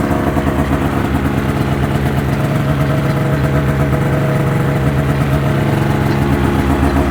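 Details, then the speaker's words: 2005 Ski-Doo MX-Z Renegade 600 H.O. SDI two-stroke, warmed up, after fuel pump, pressure regulator and strainer replacement fixed hard starting. It idles at a steady, even burble with no hunting, popping or dropouts; normal idle. "two miles on it good running good riding machine once it got warmed up but this will make life a lot easier for us"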